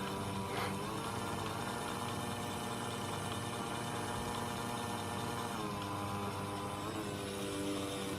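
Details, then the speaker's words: Hornby S15 model locomotive motor, nearly new, on a meter: a steady whir whose pitch sags and recovers as the loco slows, with current rising from about 240 to 380 mA at each slowdown; a replacement motor later did the same. "there we are you can hear it flipping and look every time the loco slows down the current goes up"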